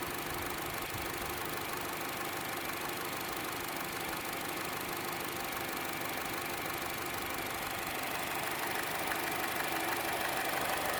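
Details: Chevrolet Cruze at idle: fast, even light ticking about three per second, louder than the normal engine tick and more noticeable on the belt side; source not pinned down.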